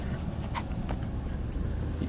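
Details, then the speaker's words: 2000 Ford Taurus, 145,000 miles, idling in the cabin after the motor mount was refitted with its rubber centered and not touching metal: low, smooth rumble with faint ticks, no buzzing; quiet, normal idle after the fix. "that's what it was listen to that you can't even hear anything hardly just the engine"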